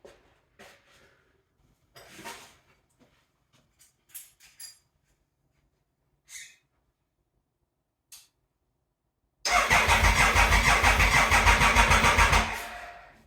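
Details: Triumph Thunderbird, bought as a non-runner, first start attempt after sprag clutch repair, about 45–50°F, no coolant: a few clicks, then the starter churns about three beats a second for three seconds with no firing; cranks, won't start.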